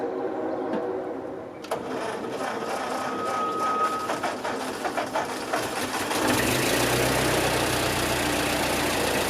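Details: Ford 9N tractor under restoration, first start after about 4 days of tinkering, still on trailer, PTO clutched out, gas dripping: catches after a few cranks, steady fairly even idle putter, no knock or miss; normal idle.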